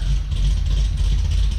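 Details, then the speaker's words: Cadillac CTS-V V8 with a big cam on the stock muffler, heard from roughly 20–50 feet away: a deep, uneven loping idle with a steady low rumble and no knocks or rattles. Normal big-cam idle. "does it sound good you guys like the look thump that it has on a stock muffler setup that is a nasty nasty little cam I tell you what"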